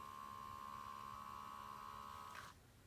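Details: Toyota Tacoma 2001–2004 air mix servomotor (blend door actuator, part 87106-04010) removed and bench-tested, 5 to positive and 4 to ground: small motor whirs with a steady even high hum about two and a half seconds, stops cleanly without clicking; normal run.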